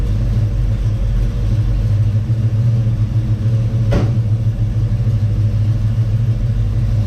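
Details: Chevy Nova with a 327 small-block V8, warmed up and idling slightly high at about 1000–1100 rpm, with charging not yet confirmed. A deep, steady, even rumble with no knocks, misses or stumbles: normal idle.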